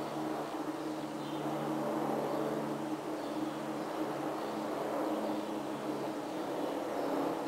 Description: The noise you can hear comes from a ventilation equipment installed this past April 2009 in the boiler room, basement, the past year the loud noise was 24/7.